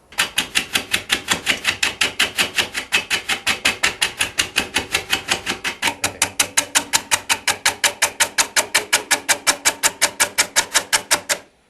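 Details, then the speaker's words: Woodturning lathe, gouge taking light cuts of about 1/8 inch on dry, exposed top wood of a blank: sharp, even tapping about three times a second as the tool catches on each turn; interrupted cut. "I'm only taking maybe 1/8 of an inch, because this wood is on the top, which was exposed, and it has become dry. You can probably hear the difference in sound too. So I have to be a little more careful."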